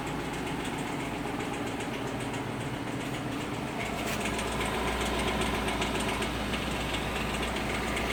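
Smooth V8 idle with a light, fairly steady ticking around three or four per second; source of the click unknown.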